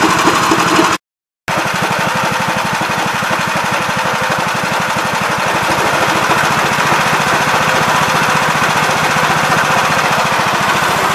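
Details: 1969 Gravely C8 single-cylinder, first test run after fixing no-high-range fault and reassembly: steady, quick, even chugging; engine runs smoothly and sounds healthy.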